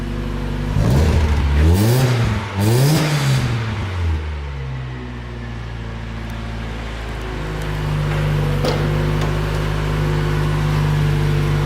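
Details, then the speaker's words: Lowered Mazda Miata with good oil pressure: two quick clean revs rise and fall smoothly, then a steady, even idle; the engine purrs and is quieter than many Miata motors, so it sounds healthy. "wow look at that just purrs the engine's really quiet i've heard a lot noisier miata motors than this thing"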